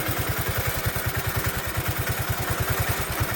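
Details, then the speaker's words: Bonser auto truck, first start with new engine, recorded at the tailpipe: low exhaust thumps about eight per second with slight rise and fall; hunting idle, owner suspects carburetor needs adjusting when hot. "I think we've got to adjust that carburetor when she gets hot. She's a little bit hunty."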